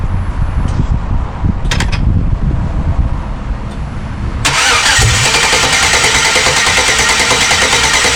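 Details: '94 OBS truck with an LS swap, first crank on the new wiring harness: the starter turns the engine over in an even chug, about three beats a second, but it never fires. The fuel pump is running; the owner suspects the VATS anti-theft system.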